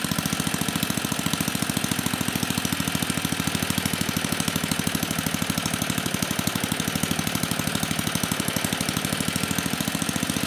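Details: 34-year-old Tecumseh H30-35387Y on a Troy-Bilt Tuffy tiller 12060, previously no compression, running on a clone carburetor needing tuning: even rapid single-cylinder firing at constant speed with no missing or clatter; running properly.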